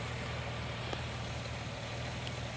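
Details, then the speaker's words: 1999 Ford Windstar 3.8L after harmonic balancer fix for vibration (slipped balancer weight): quiet, even idle with smooth low hum and no shaking; idle slightly off from a check-engine fault; normal idle. "the idle's off just a little bit because of whatever's causing the check engine light, but you can look and see how much smoother the engine is moving. It's not shaking anymore."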